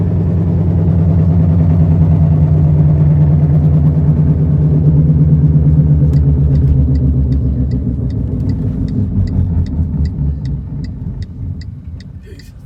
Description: 2006 Chevy HHR humming/grinding noise coming from the front end. Sounds like it gets worse when you turn either direction. The sound definitely gets louder & faster with increased speed.